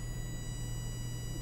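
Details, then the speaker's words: DC motors of Elegoo smart robot car driven by L298N with Arduino PWM value 10: steady low hum while wheels stay still; stalled motor because drive value too low to turn it. "you hear that hum well the reason it's humming is it's kind of like remember when we did the Arduino DC motor control in the Arduino tutorial series you cannot run a DC motor arbitrarily slow and when we tried to run this with a value of 10 that is too slow and it just won't move"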